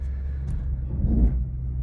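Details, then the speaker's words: Repossessed Cadillac SRX with the check engine light on, stumbling while being driven onto a trailer: a low, rough idle swells on a little throttle, then sags near stalling. "Oh, this thing is not happy."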